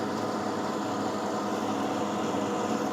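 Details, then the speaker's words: Desktop PC after power supply replacement: loud steady whirring rush from the fan, noisier than normal; to be cleaned. Noisy cooling fan. "Nah, kipasnya suaranya kayak gini nih. Berisik ya. Nanti kita bersihkan sekalian."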